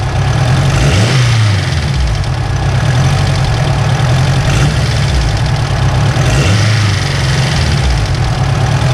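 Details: Turbocharged Honda S2000 on stock engine internals, idling and revving: faint light rattle that grows with revs; tensioner suspected, to be swapped, cause not confirmed.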